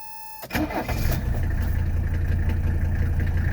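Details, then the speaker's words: 1985 Mercedes 300D (W123) diesel, cold start after sitting in the garage all night: fires almost instantly, drops into smooth steady diesel clatter at idle, no misses. Healthy cold start. "Hey, I'm gonna go ahead and fire it up. I mean, this is a cold start. It's been in the garage all night. I just backed it out."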